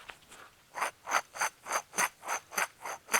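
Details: Chevy Trailblazer (likely 2006) driver-side front wheel bearing, removed hub turned by hand, grinding and vibration felt on test drive; gritty rasping pulses about three per second, worn bearing, replaced with new Timken bearing: wheel bearing grinding.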